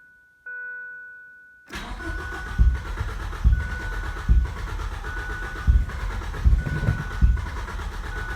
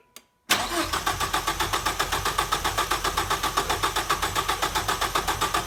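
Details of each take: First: 1989 Ford Probe GT Turbo after new fuel pump install, clutch in, fuel lines hooked up, cold weather: chime then uneven cranking without catching; crank no-start, exhaust leak heard, unsure of fuel delivery; plugs and fuel pressure to be checked. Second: 1989 Ford Probe GT Turbo after new fuel pump installed to cure a no-start: engine catches after a brief crank and settles into an even, steady idle; running healthy.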